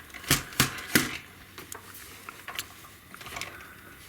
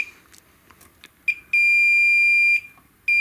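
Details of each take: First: 25-inch Hantarex Polo arcade monitor chassis repair with a suspected shorted MOSFET: multimeter continuity test gives two long, steady high beeps, the connection is good so that is not the fault. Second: Hantarex Polo 25-inch arcade monitor chassis repair: multimeter continuity beep holds steadily across the MOSFET, reading a dead short where about 0.551 is expected; shorted MOSFET.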